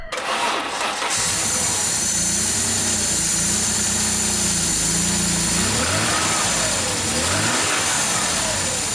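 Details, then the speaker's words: Peugeot 605 3.0 V6 PRV, cold start after freeing a seized idle control valve: cranks, catches and settles to a fairly steady idle with slight unevenness; clearly better cold running than before but still not perfect. "jamais aussi bien tourné à froid, donc il y a une amélioration nette, mais c'est toujours pas parfait."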